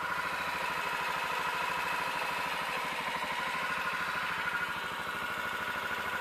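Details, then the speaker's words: 2006 Can-Am DS250 ATV, first start in 10 years after new battery, air filter and fresh gas with varnish cleaner; single-cylinder steady, even idle about three beats per second, no knocks or funny sounds. "it's been so long since i messed with this thing but you can hear it running no no funny sounds"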